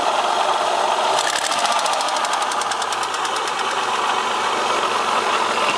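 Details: Opel X30XE V6 engine running steadily with a rapid, evenly spaced metallic knock coming through clearly, a definite internal engine knock whose source is not pinned down.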